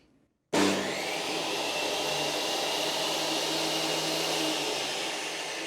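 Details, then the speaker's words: Rexon BTS10A table saw motor, first start after armature skimmed on a lathe and brushes cleaned: kicks on cleanly into a steady, even high whine with no crackle or surging; runs normally. "No smoke at Mike makes it. So there you go. 3 hours of my time, a quick spin up on the lathe and a cleaning of a couple of brushes in the motor has got me saw table back up and running."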